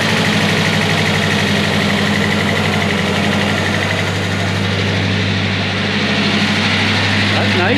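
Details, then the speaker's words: 1993 Ford Ranger idling on cold start after swapping a wire to the main harness post to restore power, steady smooth low thrum with no knocks or misses; oil pressure good, charging, running smoother. "nice little noisy um everything's dry and drain so should warm up a little"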